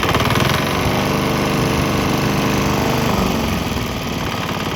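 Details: Swan X 165F Chinese single-cylinder diesel on 50-50 used motor oil and diesel: steady unbroken chug about three and a half beats a second after earlier bucking and stumbling cleared; normal running.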